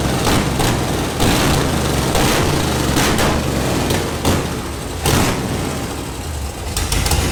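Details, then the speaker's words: Project truck with aftermarket block-hugger headers, first start after adding a missing chassis ground for the fuel pump: heavy engine catches and settles into a deep, slightly lumpy rumble with a few bumps, shaking a little; runs normally now. "so i found the problem so i'm grounded to the motor and transmission however i do not have a ground going to the chassis where the fuel pump is grounded are you ready contact i was sleeping that sounded amazing a little shook shaking a little bit"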